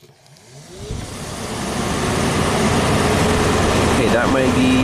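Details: 1991 Audi Turbo wagon, second fan relay's load-side terminals jumped: a steady rushing whoosh builds over a couple of seconds and holds even, the radiator fan on what seems to be low speed.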